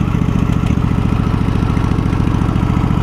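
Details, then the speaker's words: Husqvarna YTH2348 riding mower small engine at idle: low lumpy uneven thumping around 200 beats a minute, stumbling then dying; owner suspects it is out of gas or may need new spark plugs. "We got a little bit of a rough idle. I wonder if this thing could benefit from some plugs."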